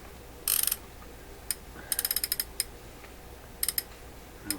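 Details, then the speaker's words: Toshiba RC-803F clock radio, non-working digital flip clock, number mechanism turned by hand: light ratchety clicks and short gear chatter, no binding; mechanism turns freely, fault suspected in the clock motor. "You know, you might not want to put lubrication into this area because it'll travel and get up onto the numbers, stuff like that. This turns just fine."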